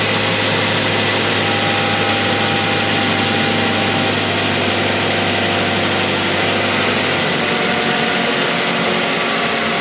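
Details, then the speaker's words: Mazda 3 after a DIY water pump replacement, with the belt rerouted and coolant refilled: steady, even idle with a smooth hum and no grinding or bearing growl; quiet again. "There you go guys, start it up, no grinding sound whatsoever. Let this run a little bit."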